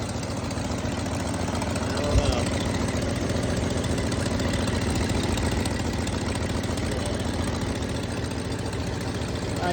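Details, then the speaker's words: 1966 Ford Thunderbird V8 at idle after coolant system refurbishment, refurbished fuel pump, water pump and radiator, new plugs, wires and coil: loose puffing tick over the low rumble from an exhaust leak. "hear that exhaust leak good things are coming"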